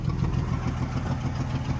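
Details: Truck with freshly cleaned, rebuilt Carter downdraft carburetor, idling but missing under load and underpowered: low, uneven idle with raw puffing chuff over the firing from a massive exhaust hole; owner suspects lost back pressure affects performance.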